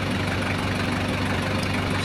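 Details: Toyota Hiace 1KZ-TE diesel running properly between bouts of an intermittent injector-pump ticking and crank-no-start fault: a steady, even low idle rumble with no knock or misfire. Normal diesel idle.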